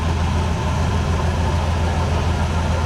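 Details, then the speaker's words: 1986 Chevy C10 that hadn't run in a long time: steady, even idle with no misses or hunting. It is smoking but starting to clear up. "yep yep wow she's smoking but she's starting to clear up a little bit hasn't run it a long time"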